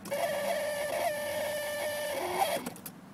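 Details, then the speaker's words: 1990 Mercedes W124, ignition on, engine off, blower set to 0, speaker removed; steady mid-pitched electrical buzz for over two seconds then cuts off; getting louder over time, not speaker or blower, source unknown. "Og som man kan se, så er højtaleren afmonteret, så det er heller ikke højtaleren, der siger den lyd, hvilket jeg troede det var først."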